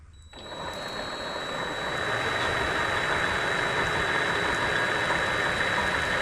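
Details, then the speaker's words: Vevor MX400/210 mini lathe after greasing and tensioner pulley improvements, belts back on: smooth spin-up to steady hum with faint high whine and slight rhythm at a certain speed; far more stable, no rocking or play, normal running. "this certainly is a far more stable setup it's not rocking still after much use it it doesn't have any play there is a bit of a a rhythm to it if you get at a certain speed"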